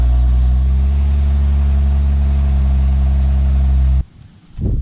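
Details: Vandalized BMW project car won at Copart, started on a newly bought non-OEM battery that lacks the code needed to program it to the car. Smooth, steady engine hum for about four seconds, then a clean shutoff; no misfire or knocking.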